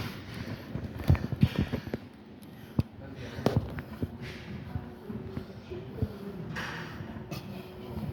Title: Machine Making a weird noise